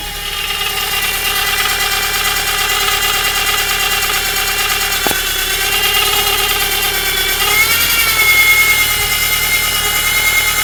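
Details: VW Scirocco Mk2: a steady high-pitched whine rides over the engine throughout and shifts slightly in pitch near the end; source unconfirmed.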